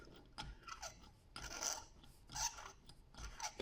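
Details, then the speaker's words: Alternator overrunning pulley clutch turned by hand with a small screwdriver, battery warning light on: raspy scraping strokes with sharp high squeaks; moves in one direction but restricted and locks noisily versus a new one, should be far freer. "So it is moving in freely in one direction but it is restricted. That should be much freer than that."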